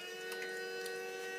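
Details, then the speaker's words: BMW N55 with JB4 Stage 2 running ISO software, engine off: electric water pump runs randomly after shutdown, a steady whine that drains the battery. It stops when the vent removed for the oil catch can is reconnected and restarts when that vent is disconnected. "um currently having the water pump issue pump is comes on randomly and drains the battery"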